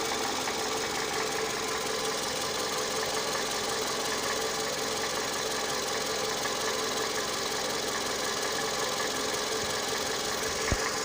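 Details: Toyota 2AZ-FE engine at idle with a fine, fast, even metallic ticking or knock over a steady idle; the source is not yet identified.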